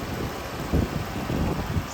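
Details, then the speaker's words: 2014 Dodge Charger 3.6 Pentastar V6 after lifter/rocker repair for ticking: low, even idle rumble with no top-end tapping; healthy. "but this is how the pentastar is supposed to sound just like this"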